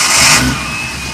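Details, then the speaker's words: Engine roar of a Datsun build with about 100 miles on the engine, at final inspection: a thin, high whistle rides on top as revs settle, coming from the ProtunerZ throttle body, which is still whistling. "Yeah, you can hear that ProtunerZ throttle body is still whistling."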